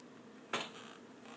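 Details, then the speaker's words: 2012 Honda CBR1000RR in first gear with clutch pulled, pushed by hand; two sharp clunks about a second apart when the bike first moves, then it hooks up, gone in neutral; owner unsure if normal. "it happens when it's on first gear and I just hold the uh clutch and then once I move the tire this sound I haven't really noticed it before"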